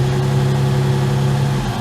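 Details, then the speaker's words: Ford Capri Mk1 3.0 GXL Essex V6, revived after 8 years sitting, run from cold with light throttle blips to check for misfires or backfiring; smooth even note, no misfires or pops; runs fine, possibly slightly rich, solid oil pressure. "and off again that's all we needed to know she's running fine I think she's running a little rich but we'll see"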